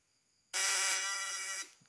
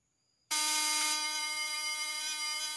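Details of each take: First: Ignition coil vibrator (platinum points) tested with a worn condenser: harsh, rasping, growly ("ngorok") buzz for about a second instead of a clean hum, unlike the new condenser; condenser judged bad and unfit for use. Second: Breaker-points vibrator buzz test with a new condenser: a strong, steady high buzz holds evenly for about three seconds with no stutter, so the condenser is good.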